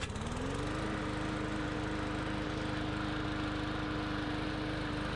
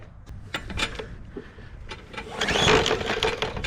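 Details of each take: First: Bolens push mower with a Briggs & Stratton 125 cc overhead-valve engine, after two no-start faults were repaired, cutting soaking-wet grass: picks up quickly and holds a steady, even note with no misses or surging; normal running under load. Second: Bolens push mower with Briggs & Stratton 125 cc OHV engine that ran last year, fresh gas, primed: a few rough recoil pulls spin the engine with no pop or catch; no spark.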